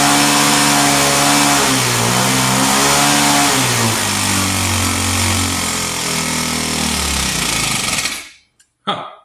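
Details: Vintage Hot Wheels R1NX gas go-kart small single-cylinder engine, sat about 10 years, air cleaner cover off: surging unevenly, never holding steady speed, then cutting out; rough running, owner suspects mixture needs intake restriction.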